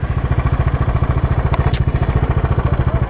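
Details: 2021 Bajaj Dominar 400 BS6 motorcycle at idle: steady thumping at about fourteen pulses a second with a light mechanical clatter on top; engine noise issue, cause unclear.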